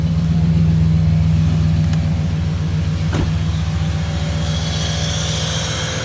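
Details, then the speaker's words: 1995 Impala SS on a warm day, A/C on max: steady idle where the compressor hum cuts out after about two seconds; the low pressure switch was replaced without fixing the on/off cycling, and the owner thinks the compressor is shot. "old ac switch just on and off i just click it to max and off or ac and off um i'll just go back and forth and that would be my issue"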